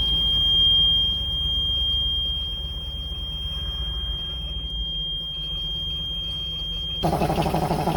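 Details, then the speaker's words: 1988 school bus left sitting for years, after no-start repairs: even, steady idle with low rumble and thin whistle, then quick rev; idles by itself and runs fine. "it's idling by itself and revs"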